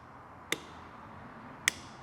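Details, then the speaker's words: Piaggio BV400 scooter, no-crank condition: two sharp single relay clicks about a second apart with no cranking; ECU commands the starter relay but no voltage on its output terminal, faulty starter relay. "So, you hear that relay is trying. The computer is actually commanding it to to try and try and it's not starting. But I see no voltage on the other end of the relay."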